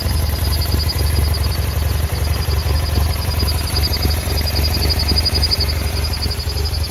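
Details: 2009 BMW F800GS twin idling with an uneven, lumpy beat and cutting out in traffic; one idle vacuum hose torn, the other broken off the air box spigot; fixed with new idle speed actuator hoses and an in-line connector.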